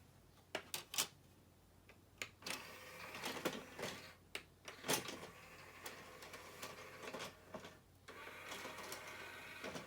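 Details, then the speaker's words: 2001 Sony CMT-CP300 three-CD changer after loading belt replacement: clicks and short whirring motor runs as the trays load and the mechanism cycles smoothly, no grinding or slipping; normal CD changer loading. "these units are quite noisy as you can hear it's perfectly normal in fact if it's not making this noise and there's something wrong with it"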